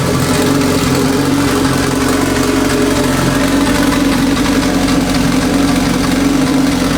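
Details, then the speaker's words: Big-turbo Honda Civic on jack stands, first run after reinstalling turbo and freshly painted exhaust manifold: steady even engine note, no puffing or ticking at the manifold; sounds healthy. "I'm just gonna check for oil leaks while I still have it up on the jack stands I'm going to look under it it sounds good though sounds healthy so far"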